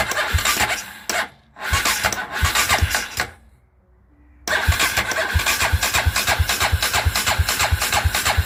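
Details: Dinli DL901 450cc ATV, crank no start with spark present: steady cranking beats, a pause, then more even cranking that never catches; magneto rotor woodruff key sheared.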